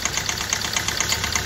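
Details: Hyundai i20 diesel idling roughly with a quick, even tak-tak ticking knock, plus heavy black smoke and low pickup; source not pinned down, fuel injector problem suspected.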